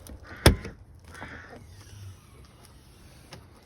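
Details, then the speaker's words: 1993 Citroën Xantia 1.9D tailgate central locking, which previously worked only about one in six unlocks, after the actuator unit was opened and revived: one sharp clean lock clunk then a brief soft electric buzz, now working. "so i whipped the unit out cut it open and used the guidance on the tapes and spanners youtube channel link in the description below to bring it back to life and thankfully it now works again"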